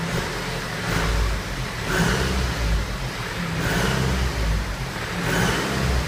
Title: BMW 320d 2013/01 F31 strange noise